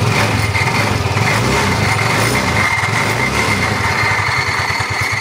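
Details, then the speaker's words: Yamaha Mio Soul 125 scooter, ECU recently replaced, that runs but won't move: the engine revs freely with a loud clattery rattle from the CVT belt drive while the wheel doesn't turn. "Ayan mga bro. Anan umaandar na yan pero maingay ang panggilid."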